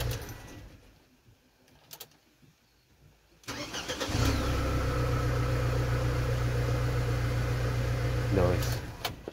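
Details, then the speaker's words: Ford Transit Connect diesel after replacing pressure switch (not the cause) and cracking a fitting with 17 mm spanner to bleed it: cranks briefly, catches cleanly, steady even idle without misses; running sweet, normal start. "as you can hear she is running sweet as a nut now let's just turn it off and on"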